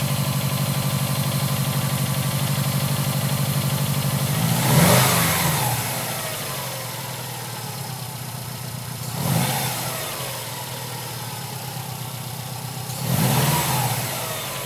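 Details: 2011 Subaru STI flat-four start-up, after being moved and shut off during cold warm-up enrichment: rough idle with a steady knock about four a second through three short revs; likely a fuel-loaded cylinder pulling timing, otherwise possibly rod knock.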